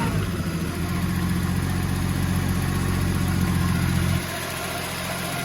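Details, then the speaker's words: Holden VL with newly installed RB30 turbo engine, running with no shifter fitted yet: a steady, even six-cylinder drone with no misfires, then revs settle lower and smooth. It is running much better than before, normal running. "So, but hey, on a good note, it's running heaps better."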